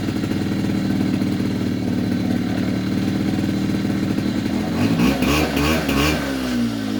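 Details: 2004 Polaris Predator 50 two-stroke mini quad with a new carburetor and float height corrected: a steady idle buzz, then clean pickup when the throttle snaps open from idle, with no hesitation, stumble or flooded sound; normal idle and throttle response.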